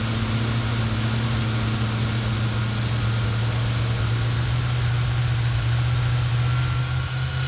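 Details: 1977 Ford F-250 460 V8 with automatic, after the distributor is reinstalled and timing reset. Deep, steady low rumble at a raised idle with no knocks or misses, smooth and even: normal fast idle.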